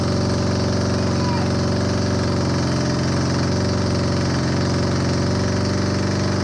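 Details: Honda CB250N Superdream twin project bike, new spark plugs, partial choke, just started after long non-start: loud fast even exhaust beat holding steady idle, no misfire gaps; running.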